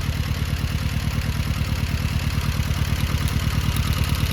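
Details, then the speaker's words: Rover 200 mk3 T16 Turbo petrol, lumpy idle with steady low chuff about three times a second, one dead cylinder misfire; coil sparks, so a fueling issue, tappets or wiring fault is suspected; idle drops when a plug lead is pulled. "So you can hear the idle drop slightly, hesitating."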